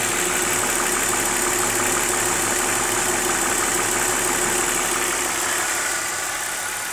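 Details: BMW E46 warm idle with a thin, quick tick about three per second over the hiss; top-end tick when warm, source unconfirmed.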